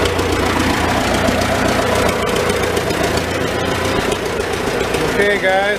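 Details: Old Farmall tractor engine idling in neutral inside a tight, smoky shed with the muffler cap removed, just after starting on choke with the switch; steady, moderately even low putter, no heavy knocks. Normal idle, running not too bad.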